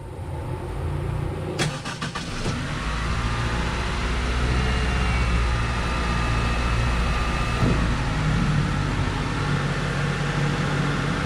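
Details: Honda CR-V Gen 2 with hard, weak starting, after adding a relay to feed the starter current: a few quick clicks, then the engine catches promptly and settles into a steady even idle; starts healthy.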